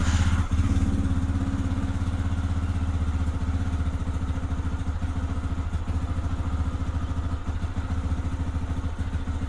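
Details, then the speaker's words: Lifan KPX 250 dual-sport single-cylinder motorcycle, stone cold, idling at about 1500 rpm before a lean cold-start stumble fix is tested: steady even thump without stumbles; normal cold idle, revs crisp and clean. "You can see it's idling right between one and two. So, it's about 1500 RPM and it's stone cold."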